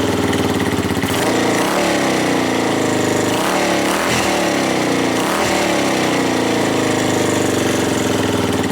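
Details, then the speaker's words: Suzuki GN250 single-cylinder running after repair with throttle blips: steady rapid beat, no top-end ticking, just loose unattached panel rattle; ticking was traced to a loose cam chain, engine now sounds like new; normal running. "it's not ticking it's rattling but that's because of all my things around the bike are not attached so it's only just things going around there but the engine sounds like new"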